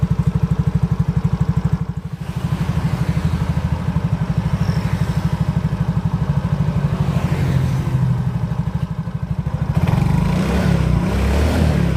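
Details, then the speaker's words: Yamaha Mio GT scooter after CVT repair, with rollers, slider pieces, rear gear oil and chipped belt-drive parts replaced: even quick idle, then a clean rev with no clatter from the belt drive. The earlier klotok noise is gone. "Coba kita Nyalakan lagi motornya [Musik] [Musik] [Tepuk tangan] [Musik] sudah tidak terjadi suara kelapak seperti tadi"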